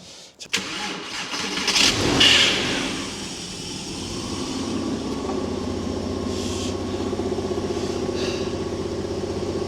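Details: Early 2.5 Porsche Boxster 986 first start after replacing a failed air oil separator that put oil through everything: short crank, quick catch, flare of revs, then steady even idle; starts and runs normally.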